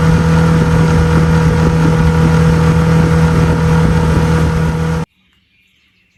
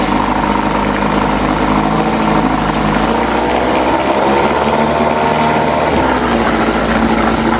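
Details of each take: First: 2002 Lund 1236 jon boat with 6 hp outboard at speed: even, steady drone holding constant revs under load, then cut off; held steady 13, touched 14; running smoothly and healthy. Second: 1997 Johnson 6 hp outboard on a jon boat, running after its clogged tell-tale (pee) outlet was cleared. Buzzing fast and steady at a raised pitch, revs dipping briefly then climbing back. It idles too high in neutral but drops in gear, with the idle adjustment untouched.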